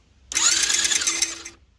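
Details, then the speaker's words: 110cc Chinese ATV during rebuild, engine spun over with stator on flywheel: short, high, scratchy whir with quick regular pulses as the stator scrapes the flywheel; paint used to locate the contact point; stator rubbing on flywheel. "so the stator was hitting the flywheel somewhere so I sprayed the light going the coat of white paint over it and now we can see where it will hit"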